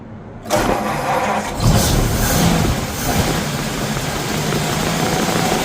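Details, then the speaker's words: 1951 Ford F1 flathead V8, first start after sitting over 20 years, plugs and distributor cap refitted: cranks briefly, catches and settles into a steady, even idle with no misses or knocks; motor sounds good despite an oil leak. "Motor sounds good."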